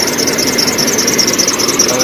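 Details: Hummer H3 3.5L: fast, steady high-pitched chirping squeak from the accessory belt slipping on its pulleys; squeak stopped when water was applied, and the serpentine belt was replaced.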